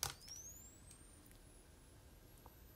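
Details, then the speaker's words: Fujica Auto 7 film camera bought from a junk pile, repaired after a corroded capacitor and broken traces (suspected water ingress); flash switched on, a thin clean whine climbing steadily in pitch as the flash charges normally. "and if we turn the flash on you may hear the the whine of the flash charge"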